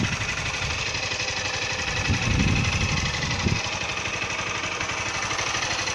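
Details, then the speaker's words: Honda Titan 160 single-cylinder at 5,000 km, valve adjustment due at 6,000 km: idle with a quick, loud light ticking about four times a second over the exhaust beat; owner suspects valve clatter, possibly normal. "Barulho no motor da moto. Estranho. Barulho de válvula muito alto."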